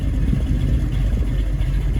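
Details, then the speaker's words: 1967 Mustang Fastback 428 Cobra Jet V8, cammed, warm after a 1-1.5 hour cruise: deep uneven rumble with slight lope at fast idle; idle possibly set a hair high, lope would be clearer about 100 rpm lower. "Again, if the idle was another 100 RPM lower, you'd hear the lope of the cam much better."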